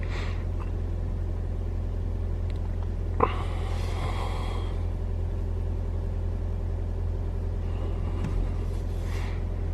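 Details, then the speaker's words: 2021 Toyota RAV4 Prime SE cold start in hybrid mode, about 43°F, AC off: low steady engine hum with no whine or drone over it; no heat pump noise, normal running. "All right, so my Rav4 Prime doesn't make any noise when you start it up cold. in hybrid mode."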